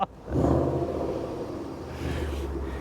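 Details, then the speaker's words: Range Rover, low mileage, running: catches and swells into deep even roar on throttle blips, then settles steadily; no knocks or misses, runs healthy. "but as you can hear it is a runner let's give it a little bit little bit of juice on the old"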